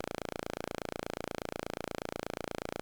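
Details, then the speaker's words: Loki synth module during VCA offset calibration, trimmer 17 turned fully clockwise: fast even clicking, about two dozen a second, from VCO2 bleeding through onto the envelope; turn trimmer 17 until clicking disappears. "And the clicking is caused by the effect of VCO2 on the envelope."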